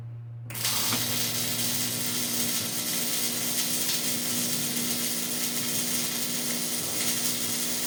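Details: Hobart Ironman 240 MIG welder, ground clamped directly to the workpiece, wire feeding at normal speed: steady, even frying crackle over a low machine hum, no popping or sputter; stable arc.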